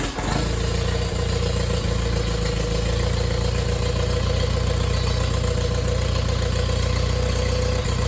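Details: Allis Chalmers D17 tractor engine on its first start in the chassis, choked, throttle nudged just above idle: even, steady firing with no knocks or misses; runs smoothly.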